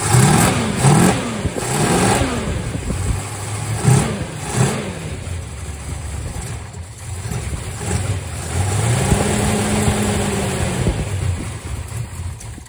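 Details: 1967 Dodge Charger with a newly rebuilt 383 big block V8 and aluminum heads, ignition timing eyeballed and possibly late: stumbles through uneven blips into a lumpy, irregular idle with no steady beat; the cam timing is off.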